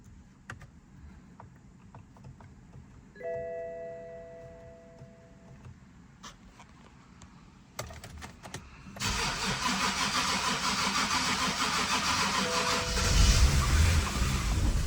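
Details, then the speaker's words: BMW 5 Series, with an aluminum drain plug that stripped and couldn't be removed: the starter grinds in short bursts with pauses over many attempts, keeps dying out (owner thinks it needs gas), then catches and runs steadily. Long crank before start. "Try one more time. One more time. It's like you need to give it gas. That's what I'm thinking, because it keeps dying out."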